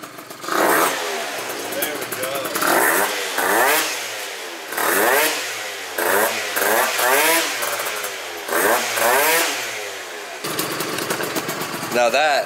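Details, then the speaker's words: Phantom F12 scooter with Stage6 adjustable clutch, stiffer contra spring and softer springs, being CVT-tuned: revs climb in sweeping surges with little pull, clutch now grabbing but still revving too much; roller weights too light, heavier rollers next. "I still feel like now it's revving too much, so we can up the rollers now."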